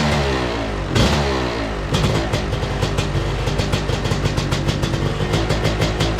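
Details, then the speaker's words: 2002 Yamaha YZ125 two-stroke dirt bike, kick-started; it fires right up but crackles and revs unevenly, popping and stumbling instead of pulling clean. Rough running; owner suspects it needs a top end, possibly jetting, cause unconfirmed. "She's a pig, guys. She's a big pig. So anyways, a lot of stuff still to do. Obviously it doesn't run amazing, and I have a feeling it's because it probably needs a top end, even though it fires right up."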